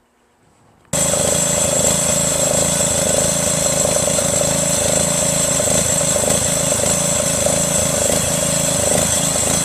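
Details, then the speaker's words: Craftsman LT1500 lawn tractor repowered with a 12.5HP Briggs engine after parts swap: catches at once and settles into a steady, even run with constant pitch, no stumbling or misses; pulley may need tightening. "you know but uh man how about that runs pretty good I might have to tighten that pulley down there and all"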